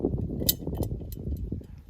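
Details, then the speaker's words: Ford F150, heard when a jack stand was pulled out from under it: light metallic jingle like a tambourine in scattered bursts over a dull thud, the same noise heard over every bump. The source of the loose rattle isn't found yet. "Hear that? Just a like a jingle, like a tambourine."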